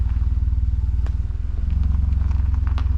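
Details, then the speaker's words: 2021 Mazda 3 Turbo with CorkSport 80mm cat-back, exhaust pulled away from the driveshaft it had scratched and tips adjusted: deep even exhaust pulse at low speed while reversing, no metallic rattle; the earlier noise is gone. "also adjusted the exhaust tips. It's not making it."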